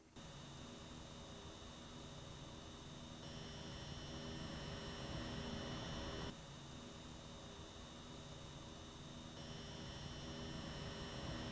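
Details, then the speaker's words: RTX 5080 Astral vs Noctua Edition cards in game menu, microphone at equal distance from each PCB: high thin whining tones over soft fan hiss alternating between cards, Astral with more significant coil whine; graphics card coil whine. "Just subjectively, the Astral definitely has a more significant coil whine than the Noctua edition has."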